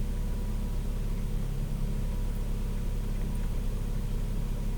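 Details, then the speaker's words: 2002–2006 Honda CR-V with K24 engine idling after tube seal replacement; runs much smoother than before, steady even rumble, barely any shake, no misses or knocks. Normal idle. "sounds like it's running a lot smoother now I'm not hearing any more of that like you know went on Startup it's really idling nice it's pretty smooth barely any Shake right now"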